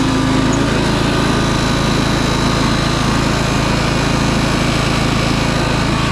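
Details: 2004 MTD Yard Machines Gold lawn tractor with a replacement 38-inch deck, unstarted for months and run on a jump pack. Engaging the bladeless deck leaves a steady, fast drone with no dip or blade whoosh.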